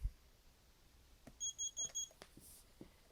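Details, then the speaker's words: Tommee Tippee groclock in demo mode, USB mains powered: four short high-pitched beeps at about two per second in a quiet room, same as its alarm tone; normal alarm beep. "that's our demo mode and that beep you heard is what the alarm sounds like as well"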